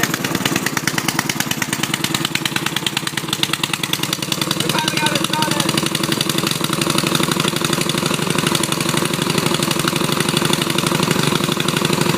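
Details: Riding mower with its engine cleaned of water and given new oil, started by jumping the solenoid on choke: loud, raw, crackling exhaust with sharp uneven pops at a fast idle. The muffler is not attached properly, so exhaust leaks and it backfires.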